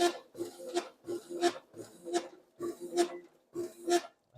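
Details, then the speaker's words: Copier document feeder feeding paper: sharp high squeaks repeating about every 0.7 s; front cleaning roller bushing dry and tight, binding, oiled and retested. "not the front cleaning roller feels a bit tight put some more on the bushings try again after adding oil"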